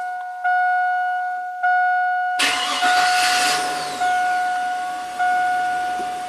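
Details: Known-good 1999 Chevrolet Silverado 4.8 V8, scope connected to crank and cam sensors, number 3 coil and injector: after steady beeps it cranks briefly, catches at once and settles into an even idle with no misses; normal crank and start.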